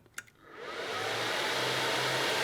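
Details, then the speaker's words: Dell workstation power supply, the original broken unit, on its self-test button: after a couple of clicks a loud steady rushing roar builds and holds; error code with fans running at full speed. "it does like an error code and the fans go like 100"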